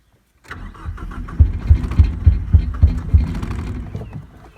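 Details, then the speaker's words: 1989 Ford Probe GT parts car, no-start: starter churning with uneven heavy pops about three a second that fade when cranking stops; fires only while cranking, seemingly on one cylinder, won't run on its own. "only when it's turning over will it run"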